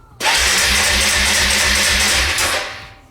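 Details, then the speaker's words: Suzuki Eiger ATV, cranking without choke: the starter spins the engine in a steady rhythmic whirr for about two seconds but it never fires; could be spark or fuel, not confirmed. "the engine is turning over you can hear it going but there's no ignition of the fuel and so the engine is not starting"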